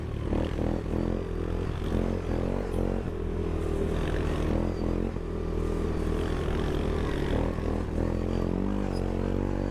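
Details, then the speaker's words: CFMoto ATV (450S or Goes 400) held flat out: a choppy, stuttering drone as power cuts in and out, with misfire-like popping from the ECU rev limiter; rider mentions around 30–31. "A, chiar că se limitează lui. Ați auzit rateurile, nu?"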